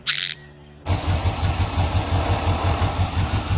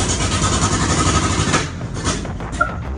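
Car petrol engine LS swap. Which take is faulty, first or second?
second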